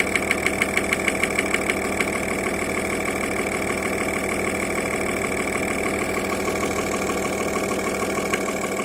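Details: Audi A6 C5 2.5 TDI AFB diesel at idle: sharp metallic knocks about three a second, loud then fading into the clatter; at idle knock comes and goes, always present at higher revs, origin unknown. Engine knock.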